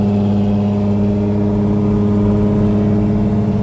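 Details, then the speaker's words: Lowered Infiniti G35 sedan automatic in 4th-gear limp mode, front brake solenoid code in the valve body. Steady high engine drone while moving, revs hanging, no shift change. Transmission not upshifting, engine revving high. "See, now it's doing it again. It's tripping, like how I was describing."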